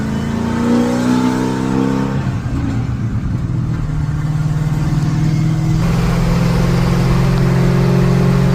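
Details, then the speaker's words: 1968 Ford F100 with 460 big-block V8, 5-speed, taller tires, mufflers at the tailpipe tips, cruising on the road: deep, even V8 burble under steady load, pitch climbing smoothly with speed; runs clean. "We got some kinks to work out, but first gear's real low. Sounds good going down the road though."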